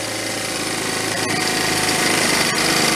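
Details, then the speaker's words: 1974 Honda Z50 monkey bike: rapid buzzy single-cylinder idle that climbs on its own over a few seconds, running away from an intake air leak at the carburetor, missing gasket on one side. "also a lot of times you do you'll spray carb cleaner on it and you'll hear a change in it like now it's running away"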